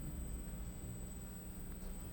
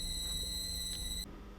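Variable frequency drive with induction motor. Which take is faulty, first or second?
second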